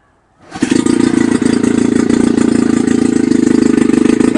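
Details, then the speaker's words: Chrysler Sailor 180 7.5 HP outboard, warmed up, in a test tank in neutral at about 55 degrees: catches on the first pull and settles into a fast, steady, even putter with no misses; clean normal idle. "start it right at this right in neutral that's the idle speed"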